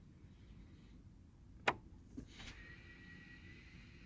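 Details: 2009 GMC Envoy transfer case encoder (shift) motor after replacement, selector cycled through 2WD, Auto, 4 High and 4 Low: a sharp click, then a short even electric whir settling smoothly; normal shift motor operation.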